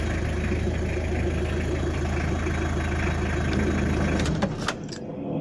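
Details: Tata Indica diesel idling with steady, even low chug after rough-idle fix: injection pump calibrated, rotor blade and camshaft replaced; then shuts off with a few clicks.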